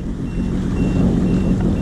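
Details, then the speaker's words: 2019 Sea-Doo Fish Pro on the water: a thin high beep about twice a second over a low engine rumble, the GPS unit's shallow water alarm, thought to be set to about 5 feet. "Wow, you can hear it beeping. Now we're getting into deeper water, but you can see shallow water alarm."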